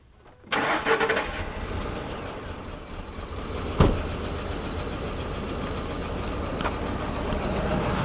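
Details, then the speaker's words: Ford Expedition (2004/2005) with earlier new plugs and coils: long crank, then a lumpy idle with sharp knocks. A cam phaser fault was suspected; a broken cylinder 3 lifter had thrown the rocker arm, the valve bent on the piston, and the camshaft was destroyed. "and so if you notice it doesn't want to start very well doesn't want to idle very well either"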